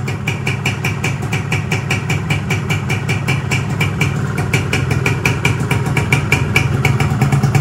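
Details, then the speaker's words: Rebuilt Yamaha 125Z two-stroke, first run after assembly, block 25 oversize, clutch housing rubber replaced: crisp even idle popping, no previous noise, though a slight piston noise appears when revved. "Sekarang mesinnya udah halus, udah nggak ada bunyi war lagi."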